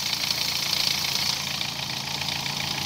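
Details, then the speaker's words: 2013 Dodge Forza after cylinder misfire repair: steady, even idle with no stumble or skipped beats; oscilloscope confirms good coil dwell, engine now running right on all cylinders. "perfecto ahora si está trabajando bien"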